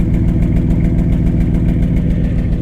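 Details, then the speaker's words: Salvage Ford F150 Harley-Davidson truck, V8 idling: a deep, loud, throaty, even rumble that is louder than stock. The owner suspects the catalytic converters were removed, but this is not confirmed. "it sounds like it's got a pretty healthy exhaust right here"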